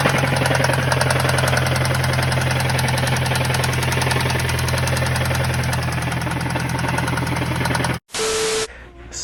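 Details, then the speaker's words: Mazdaspeed3 turbo right after the engine blew while driving: loud steady hammering knock about three to four times a second over rough running, rod knock; owner believes only the bottom end is damaged, head seemingly fine. "yeah guys as you can tell by that clip motor definitely doesn't sound good that motor is definitely toasted but however I'm pretty sure it's just the bottom end that is affected"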